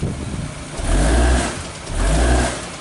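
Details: Vibration sensors on axle and cradle, car driven forward then reverse during diagnosis of a driving knock later traced to a bad CV axle; low engine rumble swells twice with no knock or clunk.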